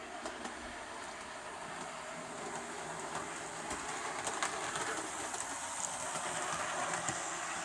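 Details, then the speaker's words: Bachmann Evening Star DCC model locomotive at 18–20 of 28 speed steps, owner suspects a faulty motor causing slow-speed trouble: soft, even motor hum with light rail clicks, no gearbox whine or squeal; runs smoothly. "So as you can hear, no horrible noises from the engine, you know, from the locomotive. There's no gearbox whines or squealing or anything like that. She's running."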